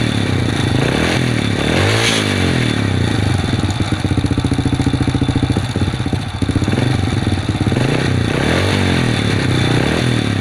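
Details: Supra underbone moped that would not start, after cleaning and tuning: small engine idles loudly with a few rev blips and settles back evenly, running acceptably.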